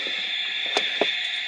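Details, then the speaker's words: Mongoose car alarm, possibly model M80, installed about 8 years ago: siren gives a constant high-pitched static hiss with random crackles and pops while it should be silent; the siren kill switch and arming/disarming don't stop it. "it's mongoose cara alarm making this noise any help on how to stop it"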